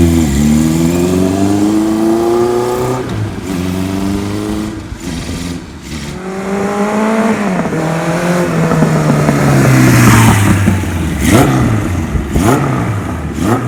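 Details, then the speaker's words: 1977 Kawasaki KZ1000A engine, unknown mileage, freshly started with hastily assembled carburetors: revs cleanly, no smoke, light rattle rising with rpm from slack cam chain, possibly worn idler rubbers; otherwise runs well. "Okay, motor seems like it runs good. Got a little bit of cam chain noise to it though. I just want to be aware of that. It would probably run a long time like this, but just a little bit noisy."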